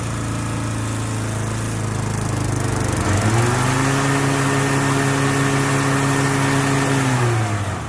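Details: Lawn equipment cold start for spring, with the blade-engagement cable still a little tight. Steady drone picks up and holds smoothly as the drive engages, no squeal or slap; belts and engine sound solid, normal running.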